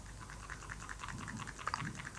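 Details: Vivo X200 Pro Mini fresh from the box, also Samsung S23 Ultra: light dry clicking clatter and rattle when the phone is shaken, the camera optical stabilizer rolling loosely inside.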